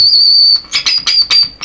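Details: Deforest 10DA517 AM tube radio under repair: steady piercing high-pitched whistle with crackly touches while probing the grid caps of tubes; audio stage oscillating/howling, cause not yet found.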